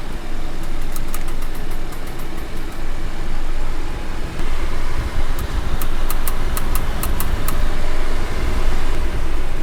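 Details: Sharp clicks in quick bursts over road rumble while driving, from a wheel not seated flat on the disc. The loud clicking was cured by cleaning the wheel and disc faces with brake cleaner and refitting with star-pattern nut tightening.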